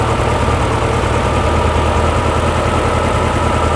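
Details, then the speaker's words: Porsche 356 Speedster replica (VW air-cooled kit) after fixing oil over-pressurization at the remote oil filter: low, even idle with steady beat, no knocks; oil cooler warming so oil circulates, pressure down to about 40–45; normal idle. "cooler is getting warm so it is circulating obviously that's what you want sounds good yeah we're down to 40 45"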